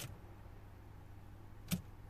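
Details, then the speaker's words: 2005 Renault Modus 1.5 dCi: dead cluster and no communication with the ECU, EPS or airbag modules. Turning the key gives one sharp relay click over a low hum, then no crank. "and when you crank as you have saved you can hear a relay going off or looks like going off over there and I'm gonna try to show you nothing happens look"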